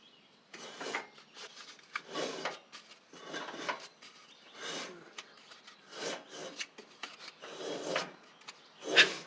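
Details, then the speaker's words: Troy-Bilt TB42 rider, Powermore 541cc engine turned slowly by hand, not running: a breathy hiss puffs out on each compression stroke about once a second, indicating a head gasket leak; oil dark and low. "So that's indicative of a head gasket leak."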